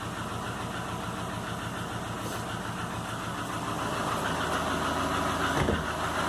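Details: 2005 Subaru Legacy GT rebuilt (refurbished block, new crank and bearings, used rods/pistons and heads) after spun rod bearings; warm idle oil pressure 22psi, new plugs, no exhaust leaks, used VF40 turbo: faint, fairly regular tap over steady idle, cause unknown.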